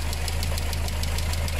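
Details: VW engine with timing chain, bought with engine damage, head gasket failed, oil and water mixed: light crisp ticking six or seven times a second over steady idle hum, consistent with lifter or valvetrain tick; cause suspected, not confirmed.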